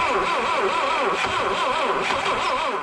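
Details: 1967 Toyota Corona RT40, not run since 1978, with new plugs, Peugeot 205 coil, new distributor cap and rotor: starter cranks in a steady even rhythm, never catches; carb jets uncleaned, float or needle suspected.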